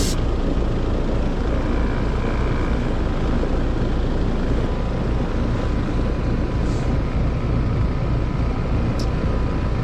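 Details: Heat pump outdoor unit, fan disconnected, defrost cycling okay, head pressure seemed normal; compressor draws about 10.3 A (11.5 A total). Steady loud rough droning with a heavy low rumble. Compressor is the loud noise, judged about to fail and needing replacement.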